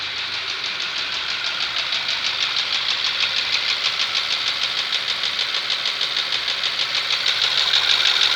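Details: Skoda Superb with CDAB engine at idle: quick, regular light tapping about three per second over steady idle, a knock of unclear source; car drives normally and has covered 7000 km with the knock.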